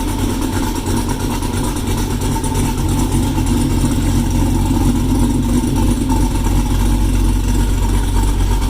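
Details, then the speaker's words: 2016 Cadillac CTS-V V8 after a transmission blown by a bad tune, now running a baseline tune from a similar car: deep, even burble with no stumbles or ticks, starting right up and idling much better, a healthy idle. "I got it started, and it's idling a hell of a lot better than it did before. It starts right up now, idles, which is good. Sounds good"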